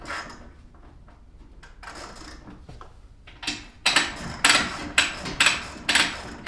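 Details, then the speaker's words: Wayne Dalton garage door with a Torquemaster spring system, left-wound spring being wound: sharp ratcheting clicks at about two a second as it turns, but nothing loads up and the door stays super heavy; the spring is broken. "uh okay technically it sounds like i'm tightening it right or tightening that spring it sounds like it's turning it sounds like it's tightening so that way i can lift the door with ease but i want you to notice something i'm going to lift the door right now super heavy"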